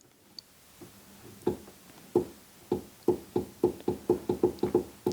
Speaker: You can hear it doing something, so this switch does appear to be triggering something. Something else is bound up, and I'm not sure what.